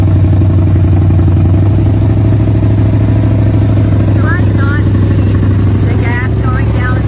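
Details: 1967 Chevelle dirt-track race car, long abandoned in the woods, runs after a carburetor float, thought to be stuck, came unstuck. The V8 burbles with a deep, steady beat at fast idle with no obvious knock, running properly again.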